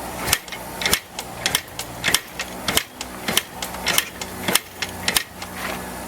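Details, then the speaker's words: 1984 Yamaha IT490 490 cc two-stroke dirt bike being kicked after fuel poured in: sharp clacks about once a second, no firing; cranks but won't start. Owner suspects oily spark plug, spark not yet checked. "I might have to pull that spark plug and clean it, because it may have oil on it."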